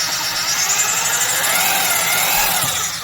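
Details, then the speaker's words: Milwaukee 1107 triple-reduction heavy-duty half-inch corded drill, well used, run as a reference: even high-pitched gear whir at full speed, smooth with no grinding or clatter, then winding down; the gears sound healthy. "That's a well-used drill, but the gears are actually sounding pretty good."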